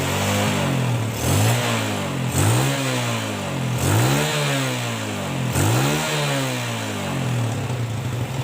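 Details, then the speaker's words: Yamaha Jupiter Z after engine rebuild: engine revs up and drops back several times with a clean, even note, previous knocking rattle gone; smooth engine running. "Suaranya udah lumayan halus, nggak ada suara klotok-klotoknya lagi ya."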